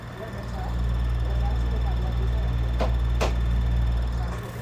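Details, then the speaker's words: Kool Flo floor fan on low speed, weak even on high: constant low mains-pitch hum with a rough, strained drone instead of a clean whoosh, a new weird noise; owner suspects the capacitor. "with low speeds should be now making some weird stinking noise what is wrong with this fan it wasn't doing that before possibly something wrong with the"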